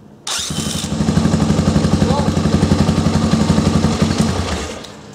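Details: Honda 350X small engine spun by a homemade dog-clutch drill starter drive, with the drill connected at higher voltage: fast chuffing about four beats a second that trails off. The drive cuts out under load, and higher voltage made it worse.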